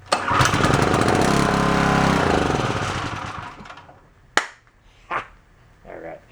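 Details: Onan K450 small generator, bought after sitting a long time, catches right away and settles into a steady even beat with no misses or knocks; normal running.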